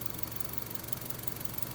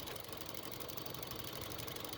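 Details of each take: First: 2005 Honda Civic 1.7L idling evenly with a low steady hum and no tapping once the purge valve is disconnected, confirming the bad purge valve as the source of the tapping noise. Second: 2005 Honda Civic 1.7L petrol engine idling with a fast even tapping, about four taps a second, that gets quicker with revs; caused by a bad purge valve, and the sound stops when it is disconnected.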